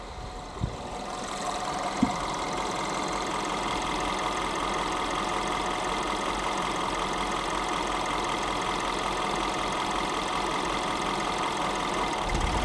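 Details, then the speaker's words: Engine idling hot after cooling-system work, both thermostats open, some air still in the system: steady rushing whoosh from the radiator fan over a smooth idle with no rattles; fan running, cooling system operating normally. "there we go Fan's running so cooling systems operating"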